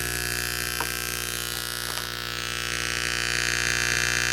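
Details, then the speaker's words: Old high-school DIY amplifier on bench speakers, first power-up in years: constant low buzz with a hard edge that persists even with power off. Ground loop hum, traced to a broken RCA cable. "that's never cool you know what I think I know what the problem is I think I got a uh a ground issue because it's making that noise even with the uh power off"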